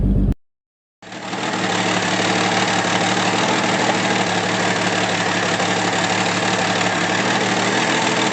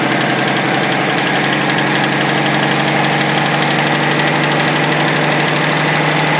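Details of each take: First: 1964 Pontiac Tempest inline six with a new budget replacement carburetor: steady, slightly lumpy low idle with no knocks, possibly running a little rich, to be leaned out at the idle screw. Rough idle. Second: 1964 Pontiac Tempest inline-6 with a new budget carburetor, idle mixture leaned from rich via the screw turned clockwise: steady, even idle with a smooth quick beat and no misses. Owner wants more road tests to confirm; normal idle.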